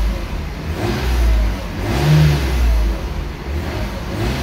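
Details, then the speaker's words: Mercedes-Benz at 203,000 km, revved inside a car wash so the exhaust echoes: smooth rising and falling revs with an even deep note and no knocks or rattles. It has plenty of power and little smoke, and sounds healthy. "there you go that's a sound test for you it's uh it's got plenty of power 203 000 kilometers and it still sounds good"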